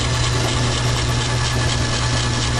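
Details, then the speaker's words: Logan lathe running on high after new idler bushing: steady hum with faint repeating chunk underneath; owner suspects the big pulley is out of balance, not sure. "think that big pulley's out of balance. I'm not sure."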